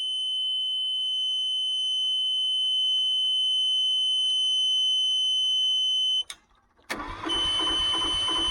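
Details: Newly installed truck APU, first start attempt, fuel pump on a replacement toggle switch; steady high-pitched buzzer for about six seconds cuts off, then the engine cranks and fires: alarm cause unclear.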